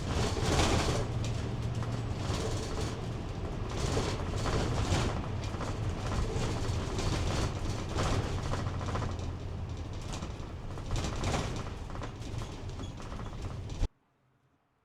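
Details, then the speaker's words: 2026 Thor Chateau 19Z RV, recorded inside near the shower while driving: constant road roar with dense irregular clatter of loose interior items and panels over bumps; heavy vibration, things falling out of the medicine cabinet. "Okay, now after that drive. It was just horrendous noise and rattle. Everything was falling out of the medicine cabinet."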